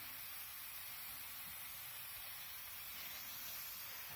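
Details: Rebuilt air compressor left pressurized: steady high-pitched hiss with no rhythm and little low end, a constant air leak at the gauge, whose threads were screwed on without sealer.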